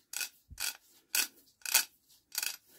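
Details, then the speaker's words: Barford Atom axle hub ratchet after dosing with oil in place of WD-40: crisp, evenly spaced clicks about twice a second with no rasp or binding. The ratchet and hub are fixed. "one ratchet and hub fixed"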